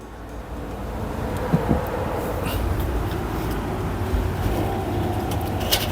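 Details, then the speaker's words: Indesit washing machine showing F11 error, drain pump test on a 10-minute spin cycle after power restored: steady low drone with no knocking or grinding; the pump is working. "We can hear the noise. This pump is working."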